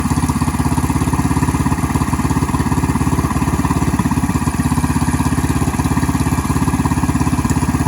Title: Bt420x How does my idle sound to you? Does it need come down just a bit #minibike